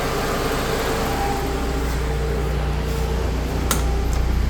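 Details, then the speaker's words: Suzuki Katana idling with a newly fitted electric radiator fan and thermostat; the fan, switched on by a thermoswitch at a set temperature, runs with a loud constant whoosh and steady hum, cooling until temperature drops; normal. "nah dapat nyala ya elektriknya sudah nyala ini husananya kencang banget"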